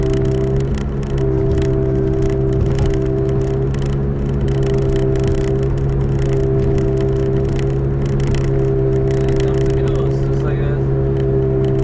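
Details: 2005 Toyota Matrix AWD, camera in back while cruising: constant low airplane-like drone under road noise; owner suspects a rear wheel bearing, side uncertain, both previously replaced; unconfirmed.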